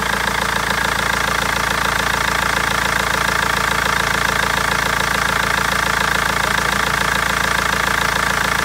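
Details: BMW 320d diesel at a steady idle with a sharp, regular knock at roughly 140 a minute and a slightly uneven misfiring beat; injectors or tappet suspected, cause unfound after over a month.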